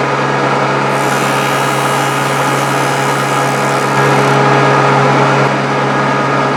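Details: Grizzly G0458 18in open-arm drum sander, reassembled after breaking down, sanding wood: steady low hum at even pitch with constant sanding rush, no knocks or rattles; running smoothly.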